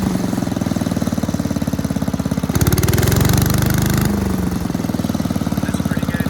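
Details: 1984 MTD Air Sweeper (model 245-692-000), 36 years old, flathead Briggs & Stratton 5 hp (engine model 130212-1731-01): steady single-cylinder thumping about 3.5 beats per second, even throughout; running healthy and smooth.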